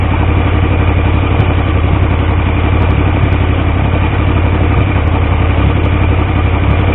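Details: Triumph T150V triple after head and cylinder rebuild to cure oil leaks: loud steady exhaust beat with even rhythm, no knocks or ticks; oil pressure about 70 psi revving, 40 psi under 2000 rpm; normal running, no leaks.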